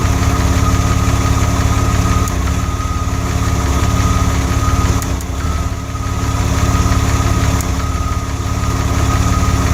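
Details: DeLorean idling during cooling-system work. A smooth low rumble is broken every few seconds by a brief stumble, an occasional misfire of unknown cause.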